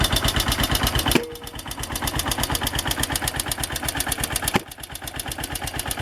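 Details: AKT TTR 200 single-cylinder motorcycle arriving at the shop: sharp, loud ticking on every firing pulse, about three per second, with a rough idle; noisy engine top end, needing tuning and cleaning.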